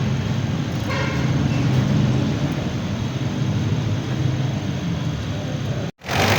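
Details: Mitsubishi Adventure engine idling with aircon on after replacing a worn, thinned compressor fan belt and adjusting its alignment and tension: steady even rumble, the earlier aircon-on belt squeak gone.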